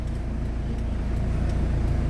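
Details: Mitsubishi Galant Shark automatic, warm, after idle lowered to about 950 rpm: steady low hum stays even with the aircon load on, no hunting or dips; idle holds fine.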